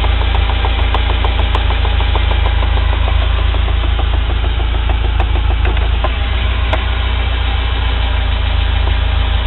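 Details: UAZ Patriot pulling off gently in first gear: a steady low knocking, about three per second, under the idle from a worn driveshaft U-joint with play in the cross.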